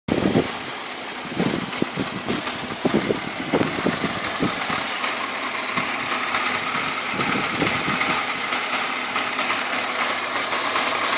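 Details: BMW E46 petrol engine idling with uneven sharp ticks early on, then settling to a busy clatter; owner says this ticking is abnormal for an E46, source not pinned down.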